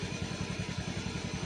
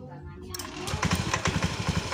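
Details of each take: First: Fuel-injected scooter idling with the headlight on, battery voltage around 12.4–12.5 V and slowly dropping: even, steady putter at about eight pulses a second with no misses or hunting, a smooth stable normal idle. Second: Fuel-injected scooter, freshly started with the left brake-switch starter: uneven, lumpy idle beats about four a second that swell and sag; idle not yet stable.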